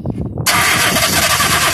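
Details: 2001 Nissan Almera cranking during testing: the starter spins hard with a rushing roar but the engine never fires. The coil packs showed power; a fuel pump relay problem is suspected.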